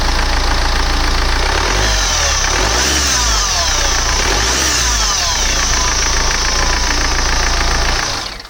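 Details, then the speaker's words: BMW F10 518d B47 diesel with a failed turbo, idling without revving and the actuator plugged in: harsh hissing, sweeping whoosh over a rough knocking beat; turbo noise from a boost leak, turbo to be replaced. "With the actuator. And that's the noise with the actuator plugged in. It sounds absolutely horrible, and that's without even revving it. So yeah guys, if you can hear it, it is absolutely hideous, the noise."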